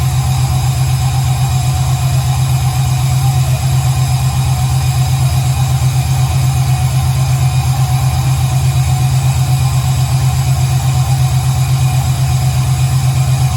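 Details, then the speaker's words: 1968 Camaro V8 with Holley fuel injection, fuel pressure 58 psi, second-ever start, injector data not yet entered: deep, steady idle with even lumpy pulse about two beats a second, no knocks or ticks; runs well. "so this is technically the second startup that sounds amazing"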